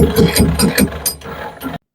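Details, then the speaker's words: Raymond 770-R45TT lift truck, steer bearing worn out (found while chasing a G4 code): rough ratcheting grind pulsing about four times a second as the wheel steers, then stops; atrocious-sounding worn steer bearing needing rebuild. "listen to that. Just absolutely atrocious sounding."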